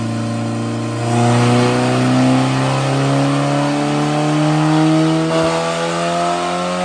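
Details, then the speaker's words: Turbocharged Honda Civic after glued head gasket repair, originally automatic with starter relay jumped; engine pitch climbs smoothly through the revs under acceleration, no flutter, knock or hiss; boost building steadily, normal. "you can hear it steadily increasing boost as he went up an RPM so that's how the grass's going to look just going to be a steady climb"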